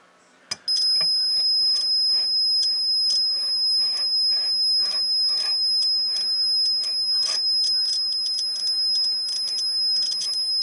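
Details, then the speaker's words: Buzz test on a T-match antenna tuner roller inductor: a steady buzz turns scratchy and spotty as the roller travels along the coil, revealing poor roller-to-coil contact; more noticeable when moved slowly. "so let's say there's a roller along here and you listen for the buzzing in the mediator and she sounds Scratchy that's where she's got some poor connections going across the length of the coil"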